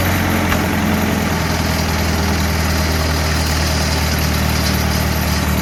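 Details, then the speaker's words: SA-200 welder mounted on a second-gen truck, warm (run the day before), at low idle: deep, steady, even idle, background rattle from welding leads; healthy, smooth-running. "Good running machine right here. I wish I could just flick it into high idle, but this idle works for me."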